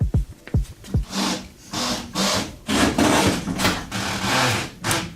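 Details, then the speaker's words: BMW E30 with custom steel widebody, steered to full lock: repeated rasping scrapes in rough bursts from the other front wheel, where a brand new tire that doesn't quite fit rubs on the inner fender liner. "that noise is coming from the other side we have a brand new tire on the other side that doesn't quite fit the front and so it rubs on here and on the inner fender liner"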